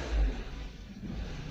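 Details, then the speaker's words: Renault Duster after LPG installation, running on gas: low uneven idle that sags and surges, nearly stalling and rattling, unlike on petrol where it holds revs; the gas system still needs tuning. "Раз он чуть ли не не глохнет."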